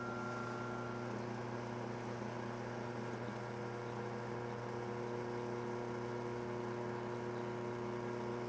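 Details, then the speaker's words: New roughing pump replacing a destroyed scroll pump on a microscope vacuum chamber, first switch-on for pump-down: constant low hum with a steady tone and no rattling of the fan; running normally. "Sounds like a pump, and it's not rattling the fan."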